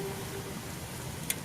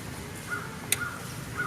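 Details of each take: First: Parmak Solar Pak 6 solar electric fence energizer, about two weeks in use; faint hiss with one sharp high-pitched snap as the fence wire arcs to ground where built-up leaves touch it, not the whole charge lost. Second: Parmak Solar Pak 6 solar electric fence energizer, about two weeks in use, with an 8-foot ground rod about 7 feet deep: sharp single ticks about every 1.5 seconds over quiet outdoor birdsong, the normal clicking that shows it is sending out a charge.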